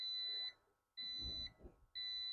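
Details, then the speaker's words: Autobench hydraulic workshop car lift, lowering: clean high-pitched beep about half a second on and half off, repeating once a second, the lift's normal audio alarm while the ramp comes down. "you got a audio alarm there so when you're dropping it down it's bleeping obviously up is up down is down"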